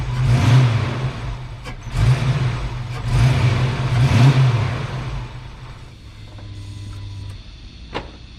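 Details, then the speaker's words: Ford Foxbody V8 with stock cam, base idle reset: after deliberately misadjusting the throttle screw and distributor timing, the engine catches and surges in uneven swells, then sags into a low, lumpy idle from misadjusted idle speed and ignition timing. "All right. So this is a good example of a car that's not going to run right."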